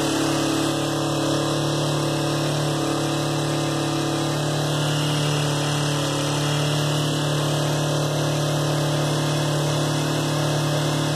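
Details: 2004 Kawasaki Ninja 250 at idle, set high: fast idle with a faint irregular tapping over a steady hum; owner asks whether the knock is bad or normal, cause unclear.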